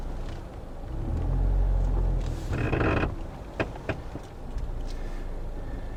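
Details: 2009 Toyota Corolla, 190k miles: low rumble with a couple of sharp single clunks as the steering wheel is turned; owner suspects outer tie rod or ball joint, and later finds the outer tie rod boot cracked and leaking grease, replacing the outer tie rod.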